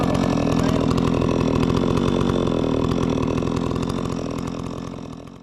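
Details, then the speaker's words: Holzfforma G660 92cc chainsaw on an Alaskan sawmill ripping 22-inch-wide red oak, full throttle: steady scream with a slight burble while cutting and no bogging, meaning the carburetor is in tune out of the box; normal wide-open running. "when you're wide open it'll just get like a Buble b a little bit while you're running that means you're in tune and uh this one did it so out of the box I didn't have to tune this uh chainsaw"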